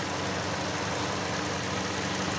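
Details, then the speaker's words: Hyundai i40 2.0 G4NA at about 41,000 km, warmed up after overhaul for a knock from scored cylinders (block bored, 0.50 oversize pistons): smooth, even idle with the radiator fan on, only a light injector tick heard. Normal warm idle. "включился вентилятор слышны только форсунки"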